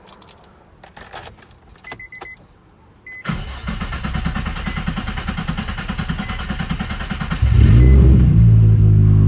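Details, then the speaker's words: Nissan 350Z after manual transmission swap, test start with oil and coolant filled: steady fast cranking about four turns a second for roughly four seconds, then catches and settles; slightly long crank but clean start. "Ooh, a little long start, but sounds good, man."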